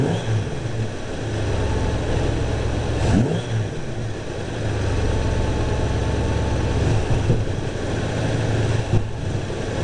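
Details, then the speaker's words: Timing advanced to about 18–20 degrees (balancer set at 10). Uneven rise and fall on throttle with sharp exhaust pops. Hesitation and backfire off idle; less rich smell than before. Cause not confirmed; leaning the carb is next. "all right so it doesn't smell as rich as it did before I stuck on my far throttle hesitation and a little backfire through the exhaust"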